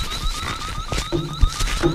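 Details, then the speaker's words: Electronic refrigerant leak detector used on the R-134a A/C of a Continental Mark III that sat for 32 years: fast, rising chirps repeat nonstop with no leak present. The sensing tip picked up an oil spot and, now contaminated, keeps triggering the alarm. "but now it's got oil on the end of it and it won't shut up and clean the tip but yeah so you just go around and go wipe this thing put oil on the end of it it's kind of contaminated the tip"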